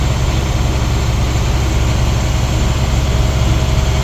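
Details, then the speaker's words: Diesel school bus engine raised to about 1,500 rpm to build air brake pressure during Class B pre-trip air brake test: deep, steady, unwavering drone with no knocks or misses; normal. "So to kind of help this along a little bit, I'm going to give it some RPMs. Bring it up to about 1,500. That's a nice safe number."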